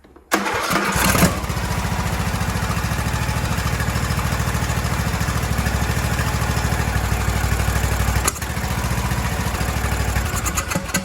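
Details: Craftsman T1700 lawn tractor, single-cylinder Briggs & Stratton engine, cranked on choke with the air filter off: short crank, then it catches and settles into a steady, even idle with no stalling or misfire. Normal start and idle.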